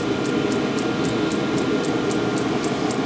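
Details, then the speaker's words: 12V diesel heater with bodged 24V fuel pump, warm, fan turned up toward claimed 7000 rpm (owner doubts it reaches that): steady even fan roar, soft regular dosing-pump tick about 4/s; normal running. "then it falls back because you can turn this and you see it goes all the way up to seven seven thousand rpm"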